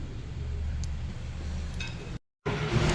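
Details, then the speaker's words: 2015 Acura RDX V6, blinking check engine light, misfire on cylinder 1 after a spark plug swap: lumpy, uneven idle with an irregular stumble; oil residue on the plug, attributed to blow-by bringing oil into the combustion chamber. "so you can see the checking the light is still shaking um um blinking and so now the solution for this we have a Blow by SE leak and bringing oil from oil pan up to the combustion chamber"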